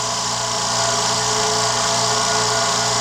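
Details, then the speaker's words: New California Air Tools quiet air compressor, just assembled, recorded about 2 feet away, filling tank: steady hiss and hum from motor and pump with even quick pulse and no rattles; runs normally. "Well, here's my new quiet air compressor by California Air Tools. Just got done putting it together, and it's filling up as we speak."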